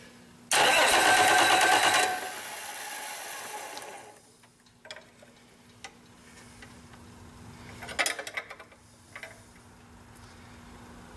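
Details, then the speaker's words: Rebuilt Cummins 8.3L diesel with inline injection pump, destined for a Hyster 15K forklift. About 1.5 seconds of loud starter cranking without firing, done to push fuel through the injection lines while bleeding air before the first start. "so we're ready to crank this thing a bit and get some fuel out of these injection lines and i have to go back and close them up and i'll be able to see if this thing will start"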